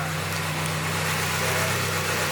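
Smooth, steady idle with an even low hum and no ticking or puffing at the manifold; it sounds sound.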